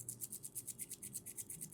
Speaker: ये आप rattling sound सुन रहे हो बिकॉज जो लिंक्स है ना वो लूज़ हैं थोड़े, तो उससे क्या होता है हर एक लिंक, आप ये सुनो, ये हर एक लिंक का जब मूव होता है ना इस तरीके से, तो वो कहीं ना कहीं आपको सुनने में पता लगता है, तो वो थोड़ा सा एक इशू है।